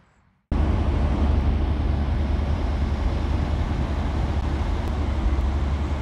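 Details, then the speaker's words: 1990 Fleetwood Bounder motorhome, big-block Chevrolet V8, after replacing the exhaust donut gaskets, springs, studs and nuts: it starts into a low, even idle with no ticking or puffing. The exhaust leak is fixed. "that sounds so much better huh all right we can live with that much better so that's it Betty's back to normal again"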